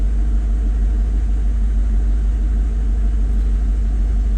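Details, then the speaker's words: 2003 Mercedes SL500 V8 idling with a deep rumble and slightly uneven, loping pulse: cylinder one misfire persists after a new OEM Bosch coil pack; spark plug to be checked next. Idles high and smooth at first start. "cylinder one still has a misfire. That's a new coil pack. So, I'll probably remove the coil pack and pull out the spark plug and check that out."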